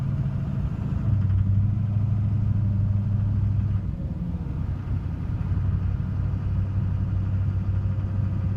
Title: 2006 duramax lly knocking noise please help